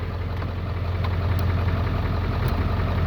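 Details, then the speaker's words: 1997 Ford F350 Powerstroke diesel, 139,000 miles, first start after sitting abandoned: deep idle with slightly uneven pulses, a couple a second, rising a little; mild rough idle, cause unknown, oil pressure good, battery charging. "Oh, it's got a little bit of a rough idle here."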